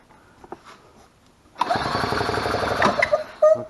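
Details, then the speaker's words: 2003 EZGO TXT gas golf cart that clicked but would not start; fixed by correcting the starter generator wiring and a rusty battery positive terminal connection. Starter spins briefly, then it catches and runs steady and even: normal start. "there we go so this one was as simple as the wires not being in the right place on the starter generator to start with"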